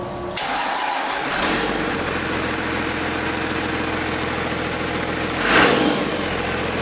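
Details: Cummins diesel swapped into a 1942 Chevy truck, first start testing temporary wiring, turbo not hooked up: cranks, catches within a second on first turns and settles into a steady even idle, no knocks or misses; normal start-up.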